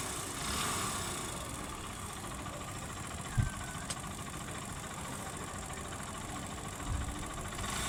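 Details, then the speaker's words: Hero Splendor motorcycle engine idling: uneven idle with light metallic rattle over engine note; worn timing chain cut inside from use. "दोस्तों जो engine के अंदर time in चैन लगी रहती है वो टाइम इन चैन चलते-चलते खराब हो जाती है। उसकी आवाज होती है।"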